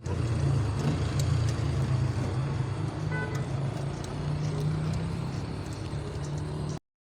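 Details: Car engine after a spark plug replacement to cure a misfire: steady, even low drone with no stumbles or uneven beats, running smoothly on all cylinders; normal running.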